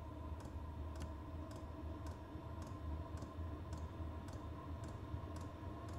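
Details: Vevor 5 kW diesel parking heater on dual Ryobi 18V One+ batteries, just lit on level one of six: sharp, even ticks about twice a second over a low steady burner rumble; normal running.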